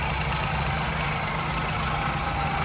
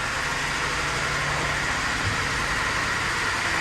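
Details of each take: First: Ford Ka 1.0 three-cylinder that arrived with oil warning light on and loud engine noise, repaired without replacing the engine; smooth even idle, no knocking or ticking, oil light off; normal idle after repair. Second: Ford Ka 1.0 three-cylinder at 114,605 km with the oil light on, at idle: a heavy, steady rapping of about three or four knocks a second over the engine note, caused by worn rod and main bearings.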